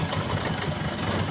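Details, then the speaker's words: Four-cylinder engine at idle during a spark-plug check, plug reconnected and vibration back to standard: even idle with a steady low pulse and no stumble; all four cylinders firing; normal idle. "sehingga standar lagi getarannya, normal."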